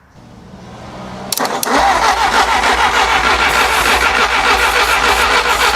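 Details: 1957 Willys FC-150 engine cranked with starting fluid: the starter churns steadily about three times a second but never catches; the distributor sends no spark, with plug wires misplaced and timing far off.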